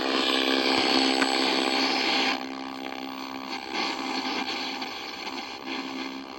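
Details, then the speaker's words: 1964 Sony 9-304U television, unshielded, on channel 4: loud, steady buzzing tone with a rough, fluttering edge that drops partway through; audio section suspected to be oscillating, not confirmed. "right here is the sound that's the sound is a thing o thing oscillating or something"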